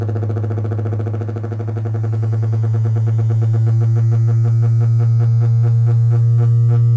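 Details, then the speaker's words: Miller & Kreisel MX-105 MkII subwoofer plate amp, distorting above low volume, test tone near 60 Hz: low steady tone throbs about three times a second and turns gritty as it beats with mains; ripple from bad main filter capacitors, fixed by recap. "you hear how the clipping is coming and going as the signal generator is in phase and outer phase of the incoming ac power"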